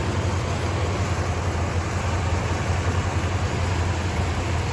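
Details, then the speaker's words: 1966 Chrysler Newport V8, Stromberg WWC 2-barrel carb, single exhaust: low even idle rumble, steady beat, no knocks or misses; runs smooth, a little underpowered, alternator making some weird noises; normal idle. "Runs real smooth though, for the most part. A little underpowered."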